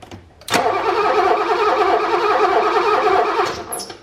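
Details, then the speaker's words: 1985 BMW E24 635CSi after sitting for years: steady starter churn about three seconds with no firing, crank no start; no spark confirmed at the plug, coil, cap, rotor or main relay to be checked. "see no spark no ticking of spark we have to figure out where what's going on here with the spark"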